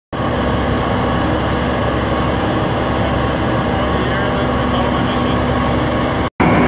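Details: Cat C12 diesel, overheated, with cracked piston rings in 4 of 6 cylinders, before an in-frame kit rebuild. Loud, steady diesel roar with a constant rushing hiss riding over it; crankcase blow-by from cracked piston rings.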